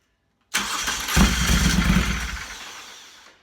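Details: Moto Guzzi Griso with intermittent starting despite a new starter motor and battery: a short crank catches straight away into a lumpy twin-cylinder rumble, a normal start.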